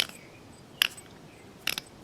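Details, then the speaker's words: 19-year-old Mazda 626 idler pulley with 125,000 miles, removed and turned by hand after replacement: dry, gritty rasps in short bursts, no free spin; bearing shot and nearly seized, would have stopped belt driving water pump. "just one more time here listen to this yeah it doesn't want to turn"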